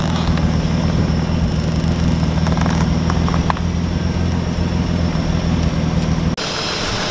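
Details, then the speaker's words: BMW E36 with M52 six after a VANOS rebuild using a repair kit and seal kit: steady, even low idle with no rattle or tick, runs smoother than before; normal idle. "and it just it doesn't rattle this may get awful noise like you've definitely heard any other videos sounded slow that sounds good now runs smoother feels smoother"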